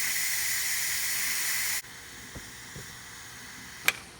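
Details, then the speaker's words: Ninja Foodi finishing quick pressure release after 20-minute pressure cook of ribs, red pop-up valve dropping; loud steady hiss cuts off abruptly, then small clicks; normal pressure venting finishing cleanly. "It'll take about 2.5 minutes for it to fully vent."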